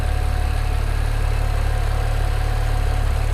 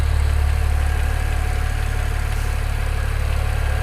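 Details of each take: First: BMW 335i N54 twin-turbo on E85 tune, first start after fitting 17T hybrid turbos, warming up quickly with thermo fan running. Steady, smooth idle, no knocks, misses or hunting, AFRs good; nearly stalled just after start. Normal idle. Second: BMW N54 335i with Chinese 17T hybrid turbos and new inlets, first start after the install, idling on a full E85 tune: a faint metallic tick about four times a second. Owner suspects the AC compressor or alternator, maybe a cam bearing; thinks it's probably normal.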